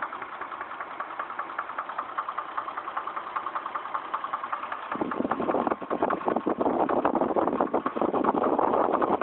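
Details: Chevrolet Trailblazer, about 110,000 miles, trouble code P0014: steady idle with light tapping pulse, then louder rougher running; knock present, cause unclear, later resolved.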